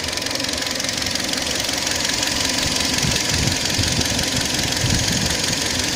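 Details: Kia Sportage III engine at steady idle: rapid light knock, about four a second, riding over the engine note; owner unsure of the strange knock's cause; engine knock.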